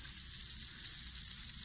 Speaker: Now that I've kicked up the speed, you can hear the noise. So they all seem to do that.